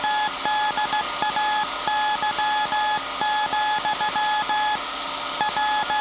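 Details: SAQ Grimeton 1924 Alexanderson alternator VLF transmitter on 17.2 kHz CW, December 1st 2024 centennial transmission; clean steady high beep keyed in Morse over constant hum, normal CW keying.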